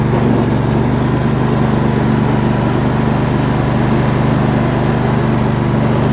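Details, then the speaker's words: MTD riding mower with newly installed engine running steadily, light rattly chatter underneath from a stuck idler pulley. "there's definitely a stuck idler under there you can hear it chattering"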